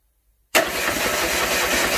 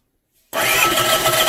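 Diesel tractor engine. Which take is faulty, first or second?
first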